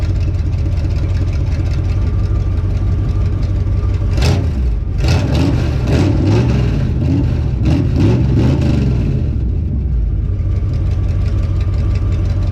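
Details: Healthy 52 Ford rat rod V8 on first start outside after fuel pump hookup and fuel in the carb, loud deep choppy rumble from open headers with no stacks fitted, a couple of throttle blips returning steadily to idle.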